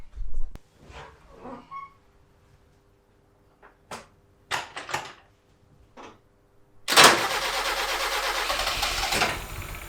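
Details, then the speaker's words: 1976 Toyota Celica RA23 barn find, engine reportedly rebuilt 5,000 to 10,000 km before years of storage, first start after correcting the spark plug wire firing order (1-3-4-2): it cranks, catches and runs evenly on four cylinders and revs cleanly. Normal running. "Well, that sounds much better. Yes! So, winner chicken dinner."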